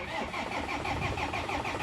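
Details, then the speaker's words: 2007 Land Rover Defender, codes erased, crank sensor and RPM signal working: steady rhythmic cranking about four beats a second that never catches; fuel pressure rises on cranking but drops quickly, suspected fuel leak, starting fluid next. "but before that I'll give it a starting fluid to see and I'm suspecting that there is a leakage because the fuel pressure keeps dropping quickly"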